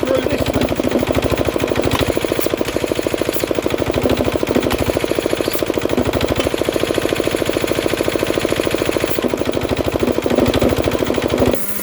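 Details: Diesel air compressor during a start and pressure test: steady rapid diesel chugging as pressure builds, then a sudden hiss near the end as the safety valve lifts before the unloader cuts in; it needs adjusting.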